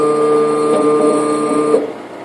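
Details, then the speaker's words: Chinese laser cutter gantry homing via Jog It pendant home key; steady stepper whine at constant pitch as head travels, stopping cleanly at the end stops; normal homing. "You push home and it'll actually send your machine to its in-stops."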